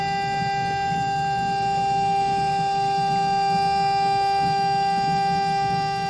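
A steady, loud horn-like hum holds one pitch through the flush with a faint pulsing underneath; the flush valve is singing.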